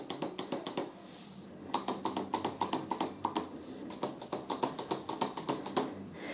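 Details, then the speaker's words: Joie Mytrax stroller telescopic adjustable handle: uneven bursts of light plastic clicks, three or four a second, as the handle is worked. The loose handle rattles in its sleeve, and the owner feels it may pull out when hauling the stroller upstairs. "Jest tutaj regulowana rączka. Ona jest teleskopowo regulowana i ona lata, terkocze."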